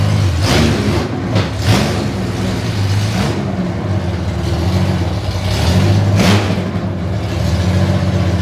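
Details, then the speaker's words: Honda Goldwing flat-six running on freshly painted open headers without collector or silencers to cure exhaust paint: loud throttle blips with raspy rattly beat and sharp overrun pops and crackle. "You can hear it in there, but it's got a rattly beat to it and it's cracking back."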